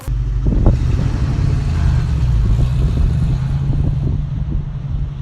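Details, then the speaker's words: Manual-transmission car pulling away in first gear: deep, even engine drone that holds steady as the car moves off, with no bogging or flaring. Gas and clutch are correctly balanced. "If you're using the right balance of gas and clutch, the car should sound like this."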